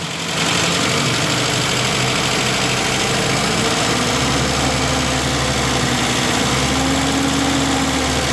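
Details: 1972 MG Midget, 1275 engine, warm idle with choke off and air filters removed, after fitting three new throttle return springs: even, smooth tick-over with steady low throb, no tinny buzz or rattle; heat-shield-area rattle appears fixed.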